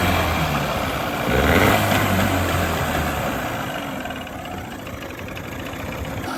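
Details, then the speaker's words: Outboard on DIY skiff, test run 4 in gusty wind, with a different cleaned carburetor from a running motor and new gaskets: even, regular putter at idle, no hunting or misfires; running properly. "So this is a whole nother carburetor that I cleaned up, one that it came off of a running motor, new gaskets. So far it's running awesome."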